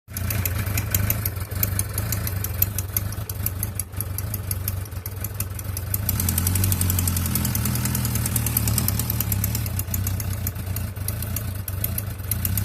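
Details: 2004 Suzuki Bandit 1200S motorcycle idling: light, fast ticking over the low, steady exhaust note; owner suspects valve noise but is unsure, cause unconfirmed.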